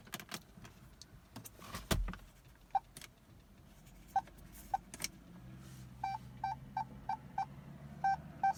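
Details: 2015 Jeep Cherokee, battery replaced a couple months ago: on a start attempt there is no cranking or starter sound, just scattered clicks then rapid chimes about three a second; headlights and interior lights sometimes strobe. Erratic electrical fault, cause unknown.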